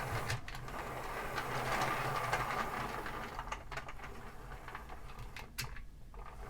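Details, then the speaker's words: HO-scale Santa Fe model locomotive on track power: soft, even motor whir with light rhythmic gear ticking and less growl than usual; running smoothly and quietly. "yeah it's actually not running bad [Applause] that's you know it's actually fairly quiet for a nathan too [Applause] it's not too bad doesn't quite have as much growl as i'm used to hearing"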